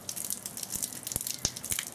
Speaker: getting kicked out and there we are we've got slug couple of slugs a couple of little hammers they're occurring now that's the water hammer right there